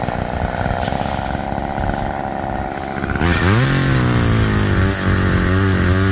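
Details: Roadside-found Homelite chainsaw after carburetor rework, cold-started after sitting, cutting wood in wind: revs climb smoothly to full throttle, dip slightly as the chain bites, then recover. Chain oiling well; owner suspects slightly rich running, bogging in larger logs then recovering.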